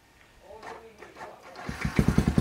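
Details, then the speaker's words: Custom CRF-style single-cylinder motorcycle with KLX wheels and a manual PE 28 carburetor: brief starter whirr, starts on the first press and settles into even firing, engine smooth with no smoke; normal electric start. "ya, double, satu kali pencet langsung hidup. Mesin tak kedengeran ya, mesin halus ya, tanpa ada asap,"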